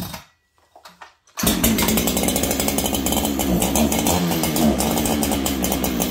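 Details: Stock Farmertec 288 kit chainsaw, later found almost out of fuel. It runs at a wavering high buzz that surges unevenly instead of holding steady; the owner first thought it needed tuning, but the cause was a nearly empty tank.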